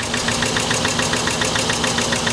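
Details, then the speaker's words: Car with a rough idle and sharp, even ticking about seven per second. It sounds worse than a comparable 70,000-mile example; suspected to be a spark plug or needing a tune-up, not confirmed. "yeah mine had 70 000 miles on it and it sounded way better than this this this this sounds it could just be a spark plug yeah it just needs a tune-up"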